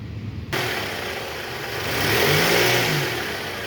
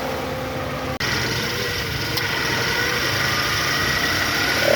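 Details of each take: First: Toyota Alphard ANH10, which growled from a weak belt tensioner whose bearing felt rough while the new part spun smooth: the engine revs up smoothly and settles back with no squeal, rattle or rumble from the belt side. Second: Toyota Alphard ANH10 engine at idle. A steady gritty growl or whine sits over the idle, louder after a small blip. Spinning the weak belt tensioner by hand shows its bearing is rough. Belt tensioner bearing growl.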